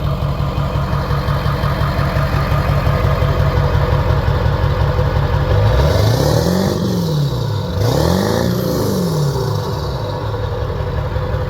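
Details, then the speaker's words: 7.3 Powerstroke diesel just fitted with a KC300X turbo, new downpipe and stack, first start; steady chuff idle with two quick revs and a puffing at the stack: small exhaust leak at the stack joint. "It blew a little leak about the stack."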